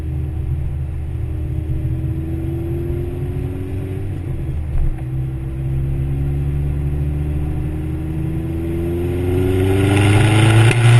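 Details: Vauxhall VX220 Turbo accelerating through 3rd into 4th after recent work: note stumbles and is uneven under boost, a nasty misfire under boost of unknown cause.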